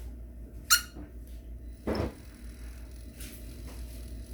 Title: Ronin-SC - Pan Motor making Squeaky NOISE them sometimes it vibrates - D.A.R/JC